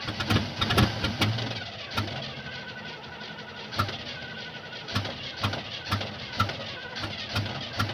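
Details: 1975 Oldsmobile that won't start: quiet, uneven cranking clicks about twice a second with no firing or catching at all; cranks but will not start, cause unknown.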